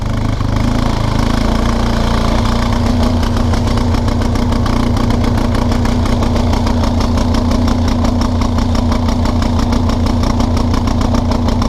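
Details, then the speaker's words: 1999 Kawasaki Prairie 300 ATV single-cylinder thumps along unevenly with fuel shut off, running on fuel left in the carburetor bowl, and it moves forward again. "don't know how we're still running because the gas is off but whoa we're going we're going"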